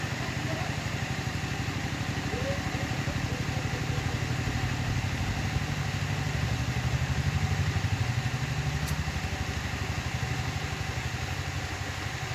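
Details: Water pump after disassembly and reassembly, which previously wouldn't pump water: even rhythmic pulsing about three beats a second, steady, no louder than usual; normal running.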